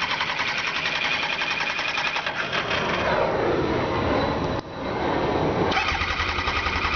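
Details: 2002 Kawasaki Ninja ZX-9R motorcycle that won't start: starter whirs and churns the engine at a steady rhythm but it never catches; cranks fine but won't fire.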